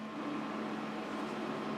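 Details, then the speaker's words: Power Mac G5 repaired after exploding at power-on, now booting Leopard; constant loud rushing roar with steady low hum, extremely loud; fans at full speed because thermal calibration hasn't been run yet. "- It's also extremely loud. - It is extremely loud. Yeah, I guess we gotta calibrate it."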